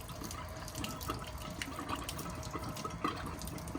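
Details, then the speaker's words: 2021–2024 Winnebago Revel with HydroLink plumbing panel, winterizing: pump on with drain button pressed, water runs out and the pump sputters, then irregular watery gurgles as it sucks air; system nearly drained, normal. "You're getting toward the end of the water in your system. And once that stops, you'll hear the pump gurgling."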